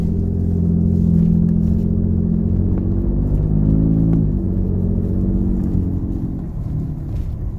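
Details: Ford Gen2 Raptor, warm, first few gears, light acceleration around 2,000 rpm, 2WD or 4WD: dull repeating knock in a deep drone; rod knock from spun cylinder 4 connecting rod bearing, engine replaced under warranty at 22,000 miles.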